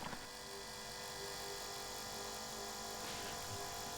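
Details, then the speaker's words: Aftermarket electric fuel lift pump on a diesel truck, likely air in the system after fuel gelling in below-zero cold, primed with the bleeder open, gives a quiet, even hum and hiss with no pulsing or rattle; lift pump running normally. "What I'm gonna do is turn the pump on, open up the bleeder, and see what comes out. I can hear the pump"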